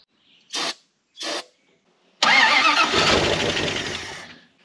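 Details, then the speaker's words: Carbureted dump truck, unused since last year: two short starter bumps, then about two seconds of steady cranking that winds down without firing. Crank, no start; lack of fuel at the carburetor suspected. "well it's cranky good let's figure out why it's not running"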